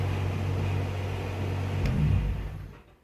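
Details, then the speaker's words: Car engine, fired up after running up and down the street; leaned out carburetor to cure a fuel-rich flat spot off idle, carb rebuild still planned. Steady, even low hum, then winds down quiet, no stumble or miss; sounds good, runs good, starts good. "So, yeah, there it is. Sounds good, runs good, starts good."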